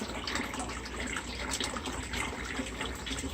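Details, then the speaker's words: DIY backyard aquaponics system after relocating tanks and filters, pump on GFI, Eco Air 4 air pump: continuous splashing trickle with fine bubbling, no stall or straining hum; normal flow and aeration. "And we've got some water flow. And we've got water flow over here. And bubbles."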